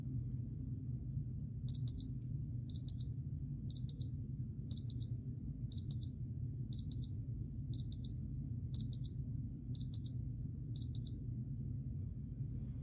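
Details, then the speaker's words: Casio Data Bank DBC-32-1ACB watch alarm (AL-1) sounding for about 10 seconds: crisp high chirps in groups of four, about one group per second, steady and clean; normal alarm beeping. "Okay, so that was what the alarm sounds like."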